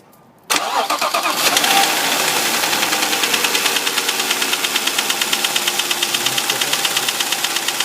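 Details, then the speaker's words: 2005 Audi A6 C6 2.4 BDW engine, bought with a knock the previous owner blamed on hydraulic lifters: engine catches and idles with a sharp steady knock about three a second; oil pressure being checked, source not yet found. "Стучит двигатель."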